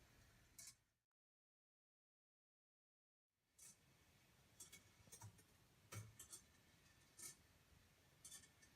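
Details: Congreve clock in a cold garage, whose lethargic action kept stopping it: faint light metallic clicks at loose, unhurried intervals, no grinding or rough clunks; now running nicely.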